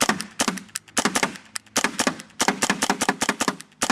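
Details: SLG paintball marker shooting paint: rapid sharp bursts with uneven gaps and skipped shots, intermittent misfire with blinking light; eyes and stock trigger replaced, breech cleaned; owner suspects micro switch or board.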